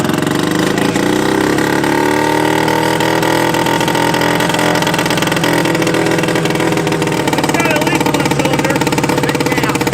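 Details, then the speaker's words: Old Yamaha snowmobile two-stroke after adding a gallon of gas: crisp busy buzz climbing and settling evenly with throttle, no stumbling; runs better than the Arctic Cats, normal running. "That damn thing runs better than either of the articats. You can't kill a Yamaha."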